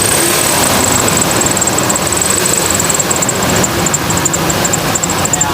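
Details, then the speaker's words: 1998 Ford Expedition: high, fast chirping under the hood that rises and falls with engine revs; traced to a worn idler pulley bearing on the serpentine belt drive. Idler pulley, both belt tensioners and the belt to be replaced. "when i rev up the engine listen to how the chirping noise revs up and it'll kind of go down at a different speed when it comes to the idler pulley arm"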